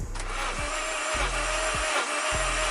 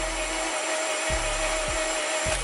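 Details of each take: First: 8th-gen Honda Civic (2006-2011) R18A1 compression test while cranking: after cylinder 3 showed 0 PSI and cranked with a clean whine, this cylinder cranks with five even, strong pulses and is building normal compression. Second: 8th-gen Honda Civic (2006–2011) R18A1 engine, compression test on cylinder 3, whose plug was wet. It cranks fast, and the cylinder gives only a clean steady whine with no compression pulses. Gauge reads 0 PSI: dead cylinder, top or bottom end unknown.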